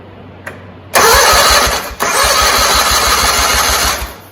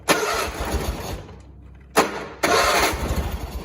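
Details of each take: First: John Deere 317 lawn tractor, year unknown, compression present on both cylinders, battery seemed weak: starter spins engine with an even chuff, equal strong compression strokes; healthy cranking but engine did not fire. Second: John Deere 317 lawn tractor (year unknown), unchoked, not throttled, after fixing a wire pinched by the firewall: two rapid cranking bursts, engine chuffing but never catching; hard starting, cause unknown.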